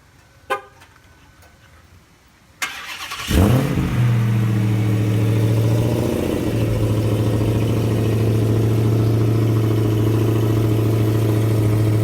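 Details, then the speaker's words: 2016 Dodge Challenger Hellcat after supercharger replacement (original had bad ball bearings at 4,800 miles): cold start catches cleanly into a strong, steady deep idle with no bearing rattle or grinding; healthy new supercharger. "so here we are now I'm going to show you guys essentially what a proper well-working no bad ball bearing supercharger should sound like so let's get this started"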